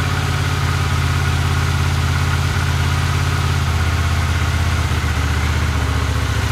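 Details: 1982 Honda CX500 twin, neglected for years, after cleaning tank, petcock, carbs, slow jets (slightly bigger jets fitted) and replacing spark plugs and caps: low, loping idle with an uneven, wandering beat that never settles; no change, cause unknown.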